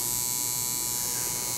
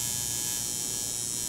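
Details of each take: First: Tattoo coil machine running dry (not yet dipped in ink) on a power supply with a foot switch: a steady, even, high-pitched electric buzz with no stutter or missed strokes; the machine is set up correctly and running normally. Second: Coil tattoo machine running dry on a digital power supply, voltage turned too low: steady thin quieter buzz with fine metallic rattle and pinging; turn voltage up slowly until that rattle appears.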